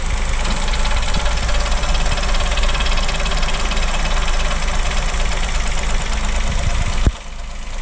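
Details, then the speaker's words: 2023 Chevrolet Onix LT turbo manual, cold first start of the morning, hood open, brake pedal pressed: uneven knocking clatter, a few beats a second, seemingly from the rear of the engine; mechanic called it normal, owner doubts; cause undetermined. "Pessoal, esse barulho é quando o carro tá frio. Aí pisa no freio. Aí me diga aí se isso aí não deixa uma pulga atrás da orelha, já que é relacionado ao freio."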